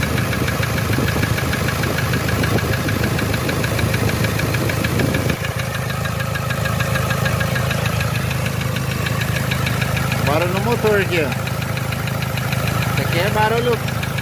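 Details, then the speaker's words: 2007 Toyota Hilux 3.0 diesel: steady idle with hard regular knock about three per second, first suspected rod knock; teardown found fourth-cylinder piston melted and burnt head gasket. "ó lá o quarto pistão ó derreteu mesmo batida era pistão hein aqui suspeitado não barulho é muito parecido"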